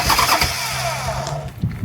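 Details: Buell Cyclone V-twin, first start attempt after standing 5 years, choke on: starter churns it over with a few uneven chuffs but it never catches; cranks, no start.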